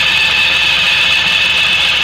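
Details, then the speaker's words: Suzuki Burgman 650 variator with the cover off, secondary shaft spinning: a steady high-pitched whistle over a faint engine hum that stops when the sheaves are separated; CVT whistle, cause unknown. "Вот этот свист непонятный, да, вот вторичный вал вращается."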